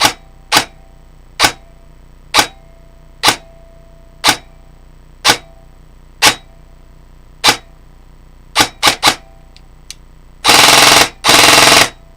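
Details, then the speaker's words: Customer's airsoft AEG rifle on a 1000 motor after gear-mesh adjustment: sharp shots and two rapid bursts, each trailing a faint metallic twang; tech suspects the mainspring vibrating on a too-skinny spring guide, possibly cured by pre-cocking. "So if you're hearing that twang, it's the spring in there, I'm pretty sure. That's the only spring that I'm aware of that would reverberate like that."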